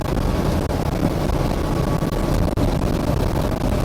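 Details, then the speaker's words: 1971 Jeep CJ5 V6 with an aftermarket Motorcraft-style carburetor after a power valve repair, driving under load with a soft top: deep, even drone with no knocks or misses over road noise; sounds healthy. "Loud with the soft top and being an old CJ5, but I'll kind of pretty solid."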